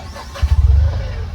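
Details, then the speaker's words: Tata Intra V10 diesel that would not start, with SCR and engine lights on and a faulty urea quality sensor, starting after an SCR reset; starter cranks briefly, then it catches and idles evenly with no misfire. "देखो गाड़ी start हो गई"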